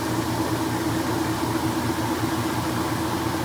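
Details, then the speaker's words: Restored vintage KitchenAid washing machine in its rinse cycle at top spin speed: steady, even hum with a smooth mid-pitched drone and no unbalanced clunking, the tub spinning normally. "i'll show you how three speed this is when it just plasters the clothes up against the outside of the tub"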